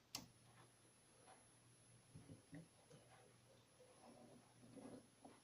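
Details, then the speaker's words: ATX PC power supply, unloaded (PS_ON not shorted, PWM not running), fed about 130 V via isolation: thin steady high-pitched squeal from the +5VSB standby circuit. "Вот он ужасно, жутко, неприятно пищит. И пищит, причем дежурка."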